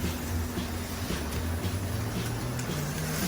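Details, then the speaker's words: Aurora slot car after major screw post chassis repair, on the bigger track: low electric buzz rising and falling evenly each lap, no stutter or dropout; running smoothly, much better than before. "that chassis is so good it's so smooth and it looks really really really really good with that uh makeo on there"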